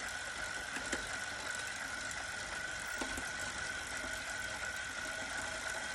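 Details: Wahoo Kickr Core bike trainer: steady high whine while spinning, broken now and then by sharp, irregular pops.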